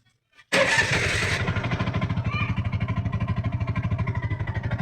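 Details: TVS King Deluxe three-wheeler (bao-bao), after replacing high-tension wire and clearing check-engine code with scanner: brief crank, catches at once, settles into even, steady putter with no misses or stumbles; normal start and idle.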